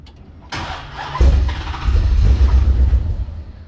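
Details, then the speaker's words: 1969 Dodge Charger with swapped 6.2L supercharged Hellcat V8, first start-up: catches in half a second, surges, settles into a deep lumpy even idle; no misfire or knock, no leaks, sounds good. "Almost. There we go. Oh yeah. Sounds good."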